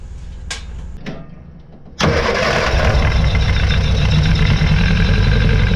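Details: 1966 Austin Healey Sprite, first start after new ignition switch and charged battery, carburetor float bowls hand-filled and leaking: catches after a couple of cranks into a rough, uneven idle with a miss; holds good oil pressure, tune-up planned.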